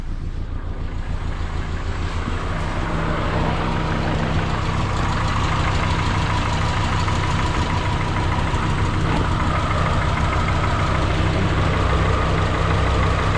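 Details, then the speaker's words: Freshly installed 2003 Subaru Forester engine on first start, run briefly with no coolant, check engine light on and a vacuum leak expected: low idle with an uneven, wavering beat of about three pulses a second; rough idle, cause unconfirmed. "it didn't sound like it was running the best but that's because that check engine light and that"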